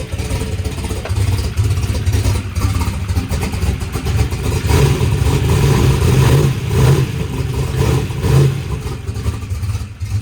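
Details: Drag race car engine after a huge backfire locked it up, with a new fuel pump fitted and a missing tooth on the flex plate: a loud, lumpy V8 idle with a choppy beat about twice a second and no sharp knocking. It still runs fine.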